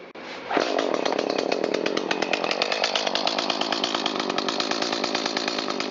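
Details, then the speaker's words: New Echo CS-310 chainsaw after carburetor mixture adjustment (previously bogged, misfired, lacked full rpm): catches quickly and settles into a crisp, even buzz at idle and full throttle, no stumbling or bogging. "And I'll fire up the saw and show you what they should run like when they are adjusted correctly, both at idle and at full throttle."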